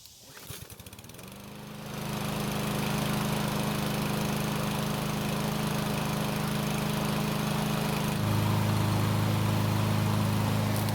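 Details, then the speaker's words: Free Cub Cadet mower given away after not starting post-refuel, running fine when brought home, before its later revving up-and-down problem: catches after a few pulls and settles into steady even drone without hunting; normal running. "i took it home and to my surprise it started and i've been using it to mow my backyard ever since"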